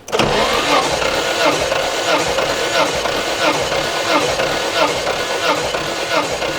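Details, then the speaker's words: 1991 Nissan R32 Skyline GTR RB26DETT, abandoned car, compression test cranking with plugs out and no oil added: even chuff about once per stroke, over 100 psi on each cylinder; normal cranking during compression test. "all right so looks like we got over 100 PSI on each cylinder and that's cranking with basically no engine o"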